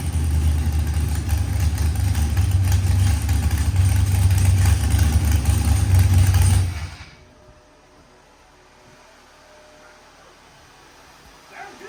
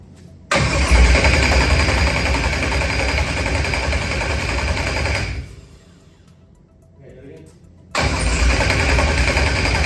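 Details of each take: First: Procharged LS stroker V8 (Callies crank and rods, 12.5:1 DSS pistons, ported 823 heads, BTR stage 4 V2 cam), first start after 12-1 crank trigger pickup setting fixed: deep, even rumble for about six seconds, then shutdown; normal running. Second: Procharged LS stroker engine with a 12-1 crank trigger wheel and 1X cam sensor, first start attempts: starter spins steadily at about 220 per minute but never catches, then cranks again; wrong trigger settings while the pickup tooth value was varied between six and four.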